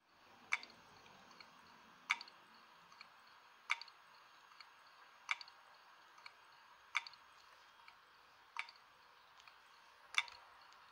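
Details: Old PC's dying 40GB Hitachi IDE hard drive: sharp clicks about every 1.6 seconds with faint ticks between, the click of death.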